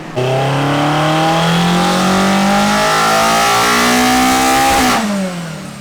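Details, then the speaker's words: Toyota AE86 full-throttle dyno pull on a new Link Monsoon ECU with a Panic Wire base map and NST pulleys, during VTC tuning; crisp even note climbs and drops off cleanly, no misfire or knock; made 137.7 hp. "Okay, so it made 138 horsepower, 137.7 to be accurate."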